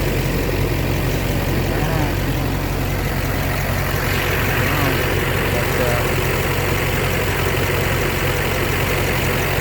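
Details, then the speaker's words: 2005 LBZ Duramax diesel swap, 180k, worn injectors before cleaning, with heavy fuel return at idle: steady idle with one injector's typewriter-like tick louder than the rest, owner suspects number 2. "But you definitely hear one injector is a lot louder than the rest of them. Typewriter tick, kind of. Just one of them."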